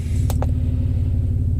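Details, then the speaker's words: 2000 Toyota 4Runner idling with misfire back two days after swapping coils, codes P0300 then P0301 (cylinder 1): loud open-exhaust idle, lumpy chuff with dropped beats. Owner suspects a bad coil pack; testing coils. "I had a Pio 300 which was a the a random misfire and turned out now I got a Pio 301 so I know it's that cylinder there"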